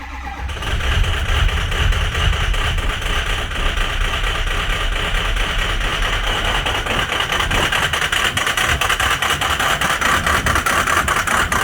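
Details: Ford 6.0 Powerstroke diesel, cold start, with bad injectors: catches and runs with a rough, uneven clatter and lumpy, stumbling idle.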